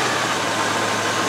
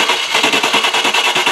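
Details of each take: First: Range Rover after fuel pump replacement and previously blocked injectors now running fine, restarted cold: steady, even idle sitting a little high due to cold; no misses or knocks. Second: Range Rover after fuel pump replaced and pressure restored to about 35 with relief valve working: steady rhythmic starter churn about three beats a second, cutting and repeating, no firing; cranks but won't start, fuel-starved.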